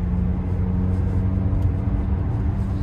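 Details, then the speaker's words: Buick V6 showing about 198k on the odometer, driving at 30–50 mph: a steady low humming drone under the road noise; needs a wheel bearing, suspected not confirmed. Coolant smell suggests a separate leak. "Okay, y'all, this thing needs a wheel bearing for sure. You're gonna hear the humming, but let's get it driving."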